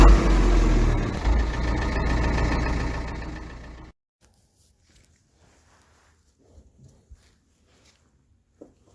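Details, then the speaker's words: Fordson Power Major diesel tractor, parked for at least 5 years, cranking sluggishly at about three and a half turns a second for four seconds, then silence; the weak battery cannot turn it fast enough to start. Slow cranking from weak battery. "now the battery was not good enough and this meant that the engine was not turning over fast enough so it would not start like that"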